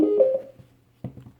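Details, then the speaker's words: SoundPEATS P3 IP65 waterproof Bluetooth speaker switched on: a short bright tone, then a few soft low blips about a second later; normal power-on beeps. "donc on entend les petits bips comme quoi elle est à lui"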